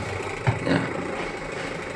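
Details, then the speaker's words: Aqua QW950XT twin-tub washing machine (complaints: leaking, weak spin dryer), wash motor tested on timer: brief thump at switch-on then a low steady smooth hum with no grinding or rattle; wash motor works normally. "Berfungsi teman-teman ya. Untuk ininya berfungsi kemudian pengeringnya apakah berfungsi?"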